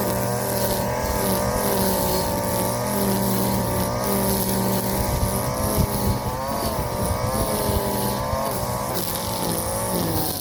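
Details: Warm Stihl FS 56 RC trimmer, almost new, after it ran two tanks of 20:1 mix instead of 50:1 and had its muffler screen and spark plug cleaned: steady high two-stroke buzz, revs wavering slightly, no misfire or stumble; running normally.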